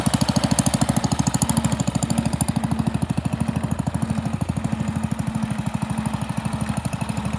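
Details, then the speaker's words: Pond lever-steer tractor with magneto-ignition engine: steady rubbing tick about three times a second while running; clutch pressure plate fingers pivot out when the clutch is pushed in and hit the bell housing. "these fingers on this pressure plate when you put the clutch in it pushes the inside and these pivot and come out and it's just hitting the bell housing here"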